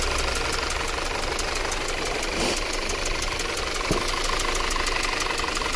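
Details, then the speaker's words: 2013 Audi Q5 2.0 with check engine light, rough running, misfire and fuel-pressure-too-high code: idle with busy injector ticking over an uneven, hollow beat; one cylinder has no compression, and a borescope shows a hole burnt through the valve. "see right there there's a hole right through the valve right there look at that so that's why we have no compression"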